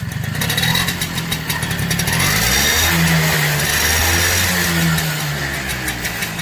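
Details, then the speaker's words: Super XL motorcycle single-cylinder after silencer cleaning (burned out) and refitting the muffler: steady beat that climbs cleanly when revved and settles back, no rattle or exhaust blowing; sounds healthy. "Hi friends, మేము muffler బిగించాము, ఒకసారి bike sound వినండి. ఇది అసలైన శబ్దం."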